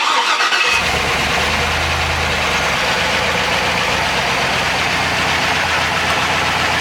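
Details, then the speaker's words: Chevrolet Trailblazer SS with LS2 V8 just rebuilt (new crank, bearings, Trick Flow cam, gaskets, seals), first start with exhaust connected: brief crank, catches cleanly into a steady, even idle with a deep exhaust note; normal start and idle. "hopefully there's no leaks or nothing but it sounds nice"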